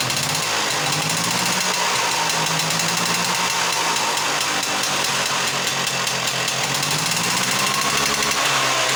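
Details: Off-road buggy on new handmade exhaust: small engine runs fast and steady with sharp raspy exhaust crackle, no misses; sounds healthy.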